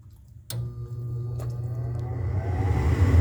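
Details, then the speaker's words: Gas furnace: a click, then the blower rumbles up, but the burners never light and there's no gas smell before it shuts off; no flashing fault lights are seen. Cause not confirmed. "not much going on i don't smell any gas and it shuts off so it tried to do something and it turned off"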